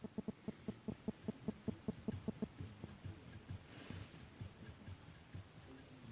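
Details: Renault Scenic 3 / Megane 3 steering: dull knocks about 2.5 per second, then uneven, while the wheel is worked; play in the steering column intermediate shaft (U-joint) suspected, rubber wrap trial planned, rack adjustment also done.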